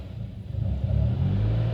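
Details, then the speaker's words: 2018 Subaru WRX, fully warmed up, AF learning at -45: low, uneven idle with revs sagging and hunting as if about to stall. Owner suspects a vacuum leak, later possibly the MAP sensor; not confirmed. "the rpms dropped to really really low and then af learning hit negative 45 so i'm gonna let off the throttle a little bit just to see how it acts yeah it's uh it's not sounding good i don't know if there's another leak somewhere yeah it wants to drop"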